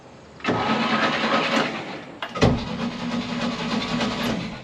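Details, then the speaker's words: 1963 Chevy C30 inline six (4-speed), off the road since 1978, cranked on its key for the first time in about 47 years: two strong, brisk, even cranking bursts with no grinding. The starter turns it over well. "That is so awesome. This thing was just sitting there ready to start turning over again."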